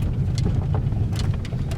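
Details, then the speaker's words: Peugeot 3008 with THP engine on a test drive: irregular knocks and clacks over heavy road rumble from the front. Diagnosed as a worn strut top mount, to be replaced. "agora começou a bater bastante tá aqui ó"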